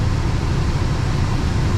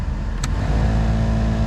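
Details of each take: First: VW Gol G8 cabin AC blower fan after cleaning dirt from fan, washing housing and lubricating gears: steady even whoosh, no rattle or vibration; at higher speeds a slight vibration and louder noise remain. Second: VW Gol G8 air-conditioning blower fan, before cleaning: steady low hum at speed 3, with a throbbing vibration and louder noise at speed 4; blower fan imbalance vibration. Cleaning the fan wheel and lubricating the gears cured it.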